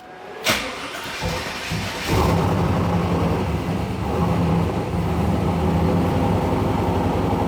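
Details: 2001 Trans Am WS6 LS1 with a new air-cooled turbo: short crank, then it catches and settles into a steady lumpy V8 idle with an even beat and no knocking.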